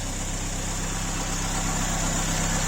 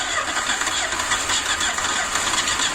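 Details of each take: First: Ford Escort MK2 barn find unused 27 years, revived on fresh fuel with block filled with water, running outside: steady even low idle with no misses, knocks or puffing, blow-by gone; normal idle. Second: Ford Escort MK2 unused 27 years, cranking on fresh fuel with no spark: quick even cranking about four turns a second without heavy lag, blow-by from dipstick hole; low compression, stuck rings or past overheating suspected.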